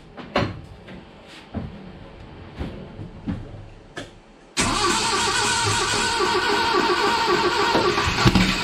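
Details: 1970 Datsun 521 truck, apparently original L16 engine, first start after long storage, with a new Weber carb, new electronic distributor and 3-ohm coil: clicks and cranking, then it catches around 4.5 s and runs steadily.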